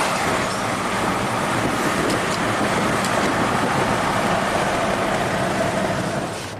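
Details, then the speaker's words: 2014 Audi Q7 TDI turbo diesel, about 180,000 miles, test drive after oil cooler and intake-valley reseal for a coolant/oil leak with a new belt: steady rising rush under hard acceleration with a faint building turbo whistle, smooth and even; healthy. "Oh, it's got that turbo pull. Drives like butter."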